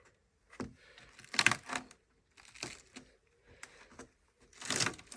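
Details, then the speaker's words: Range Rover Classic 2-door Suffix A under restoration, engine off: dry crackling crunches in short bursts as the floor metal is prodded; the panel is rotted through and crumbling. "so this is the bit that i wasn't expecting but then again it's not really a hard bit so it looks like this is basically made out of peanut butter as you can hear"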